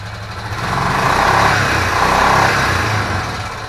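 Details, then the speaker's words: Old Foreman 500 ATV, first start after refurbishing and opening the fuel: uneven lumpy idle with an occasional pop; owner suspects a valve and plans valve adjustment. "Got a little pop there. I had to bet, I bet that's a valve. Yeah, I believe we got some valves flooded there."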